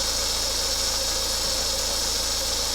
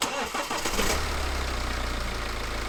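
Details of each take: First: BMW 318 drive belt giving a loud, steady high-pitched squeal at idle; tensioner and alternator checked fine, the belt was contaminated with antifreeze and slipping; replaced with a Gates 6PK belt, quiet afterwards. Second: BMW 318 after replacing antifreeze-contaminated squealing drive belt with Gates 6PK belt: brief crank, then smooth, even, quiet idle with no squeal or chirp; noise gone, normal idle.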